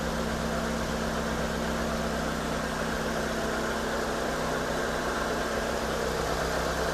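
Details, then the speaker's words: 2010 Hyundai Avega GX idling before an oil change, running Prestone engine flush: a steady, even, smooth low hum with no knocks, ticks or stumbles. Healthy normal idle. "Suara mesinnya suara mesin khas SOC. Halus suaranya halus"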